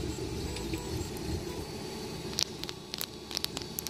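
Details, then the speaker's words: Tevo Michelangelo 3D printer profile idler bearing spun by hand: gritty, crackling rasp, then scattered ticks as it slows; a rough, bad idler bearing that should be replaced. "you hear that guys that is the baron so it'd be terrible a visual inspection you will probably see if there's any damage"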